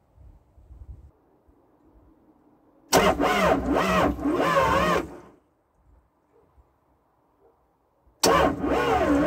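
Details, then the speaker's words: Old abandoned CAT excavator diesel, not run in years, first crank after reassembly with new filters and improvised induction; two bursts of slow, rhythmic cranking about three seconds each, turns over but doesn't catch. "i was going to take a chance and crank it over see what happens wish me luck"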